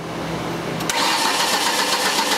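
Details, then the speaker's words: 2003 Ford Escort ZX2 2.0L no-start: steady starter cranking with no firing; scope shows a good cam signal but no crank signal, so a faulty crank sensor is concluded. "okay see a good cam pulse so we have a cam signal and no crank definitely needs a crank sensor"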